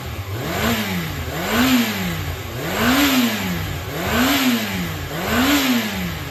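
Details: Yamaha XJR400 (4HM) complete engine assembly on a start-up check, compression tested: the four-cylinder picks up cleanly through five quick throttle blips and drops back smoothly each time, with no abnormal noises. It is running healthy.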